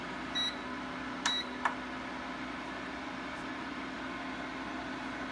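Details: Vayepro 1800W double-burner electric cooktop, box arrived damaged and unit not working on another outlet: two short high-pitched beeps about a second apart over steady fan hiss right after power-up; error code of unknown meaning.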